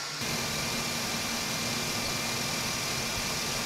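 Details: 2009 GMC Savana G3500 cutaway camper van engine idling: a steady rough hiss and rasp with no rhythm, traced to the alternator after the idler wheel was checked and sounded smooth. Worn alternator bearing.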